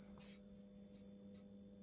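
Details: Solis 3.6K-2G grid-tie inverter on a variac and isolation-transformer test setup, showing generating at 0 watts with some relay clicking: steady low mains hum with a faint high whine and no buzzing or crackle, normal inverter hum while connecting.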